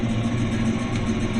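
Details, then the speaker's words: 1973 Plymouth Satellite Sebring V8, idle after three years unrun, revived in three hours with replacement intake manifold, carburetor and valve covers; single 2-inch exhaust. Deep, even burble, steady low idle, no knocks or misses; running healthy. "It's taken us pretty much exactly 3 hours to get this thing running and driving. And it's pretty darn good."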